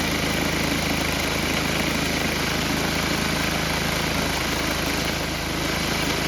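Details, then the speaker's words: Tecumseh HM80 8 hp single-cylinder on old MTD Snowflite 8X26 snowblower, just after carburetor replacement: steady, even drone with constant beat, no hunting or misfire; new carburetor works, normal running. "So that worked out pretty well. So we're going to let this thing run for a little while, make some minor tweaks, but hey, that carburetor worked."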